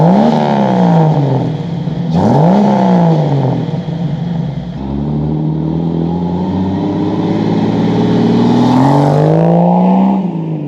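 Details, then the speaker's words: Jeep YJ rock crawler buggy, 4.0L straight six, new custom stainless side-exit exhaust wrapped in DEI exhaust wrap: clean rev sweeps, deep even note, no ticks or rattles; normal exhaust note. "So anyway, guys, that is a wrap. The exhaust is done. Sounds good, looks good."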